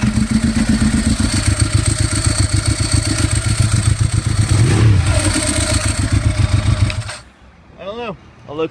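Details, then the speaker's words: 2011 Ducati 1198, 13,500 miles, no error codes, idling: steady whir over the lumpy V-twin beat; owner suspects failing bearings or timing belt pulleys, cause undiagnosed, going to dealer. "i've been hearing a whirring sound kind of like a bearings going out or maybe even the timing belt pulleys are just failing"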